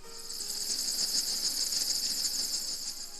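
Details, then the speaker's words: Chevy CK pickup front disc brakes: high, thin cricket-like chirping squeal pulsing three to four times a second, the wear indicator alert meaning front pads are worn and need replacing. "as a special note when you hear a high-pitched squealing or cricket-like warning sound like this"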